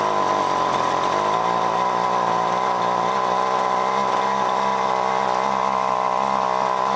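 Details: John Deere BC1600 string trimmer (possibly a Homelite UT-15198 equivalent, Zama H46 carb), sat for years, cold start on fresh mix: steady two-stroke buzz hangs at part throttle, never reaches clean scream; won't hit full revs, owner suspects gummed carb.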